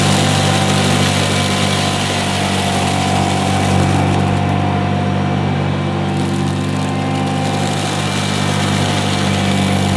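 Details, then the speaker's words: 1977 Hoover Junior Deluxe upright vacuum running: constant motor hum with a steady whine over the brush noise, no rattles or grinding; motor sounds fantastic, the quietest Junior Deluxe/Starlight the owner has used; normal running. "the motor that sounds absolutely fantastic it's the quietest Junior Deluxe slash Starlight that I've ever used"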